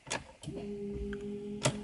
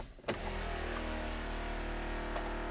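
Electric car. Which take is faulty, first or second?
second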